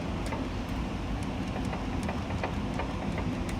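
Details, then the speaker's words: 24-year-old Pontiac Trans Am, driveshaft rocked by hand underneath: sharp uneven knocks two or three a second over a low hum; excessive play in the worn rear differential is the source of the clunking. "so I'm gonna do my best here to show you how much play there isn't rear differential that is the problem that's where all my noise and such as coming from"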